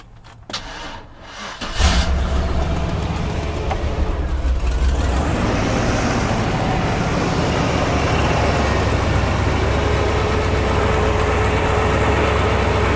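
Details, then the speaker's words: Big V8 jump-started with a DeWalt DXAEPS14 power station after sitting unstarted for months. After a short crank it catches within two seconds on the second try and settles into a deep, steady, normal idle. "So now we've got a running engine. Took 2 tries to do that, but this thing hasn't been started in months."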